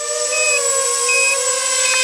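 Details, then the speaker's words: Low-battery warning on a Tarot 130 TL103H1 mini quad: the battery buzzer gives its first, slower stage of beeps (three slow high beeps) over a steady motor whine winding down at landing. It beeps faster when the battery is very low. "Hopefully you can hear that there. It's sort of a slower beeping, and I've noticed when you get really low on your battery, it'll beep faster."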